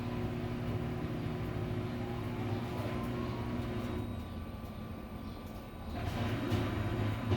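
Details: Samsung washer-dryer in spin test after replacing both shock absorbers to cure noise and jumping: smooth steady drum hum with no thumps, bangs or knocking; spin sounds healthy.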